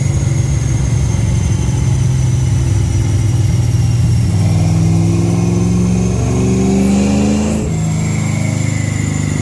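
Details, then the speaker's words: Car with Holley Sniper EFI on a dyno at wide-open throttle: a strong, even engine roar climbing smoothly in pitch with no misses or knocks, and it runs well. There is some blow-by and oil smoke, and the tire slips. "So you can hear the car's running good, but I don't know if you guys are able to see."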